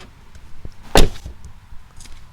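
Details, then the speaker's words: Tesla Model 3 rear door without added GoLoHo bottom-edge seal, front door already sealed: single crisp sharp treble slam rather than the deeper clunk of the sealed door; normal door closing. "so the difference to my ear is the back door here the much higher more treble sharper sound and this has a deeper more of a kind of a clunk when it closes and I'd expect that because of the seal on the bottom edge which was not there before"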